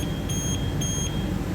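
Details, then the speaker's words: HR17 with a replaced motor controller (earlier error 1C40), showing no error codes but no drive functions; short high beeps about twice a second over a low hum give a motion alarm, caused by crossed motor phase cables. "so we have a motion alarm and interestingly I had symbol showing here that motor is taking the current on each cable"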